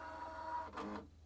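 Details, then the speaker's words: Husqvarna Viking Designer I embroidery arm that would not calibrate, after it was cleaned and greased: even mid-pitched motor whir that steps briefly in pitch, then stops cleanly, and the calibration now runs through and works. "It's doing its calibration."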